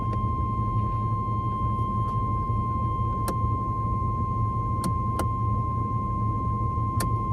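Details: Oldsmobile Cutlass: turning the lights on set off the seatbelt warning; a steady, unbroken high-pitched buzz that never pulses; cause found to be a fuse a previous owner had looped wire around to keep hot, so the warning runs constantly.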